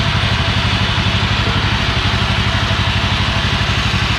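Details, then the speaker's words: Old Yazoo commercial zero-turn mower twin-cylinder engine, after sitting in a barn for many years, fires and thumps steadily at about three pulses a second with no misses; running healthy. "Oh, it actually fired."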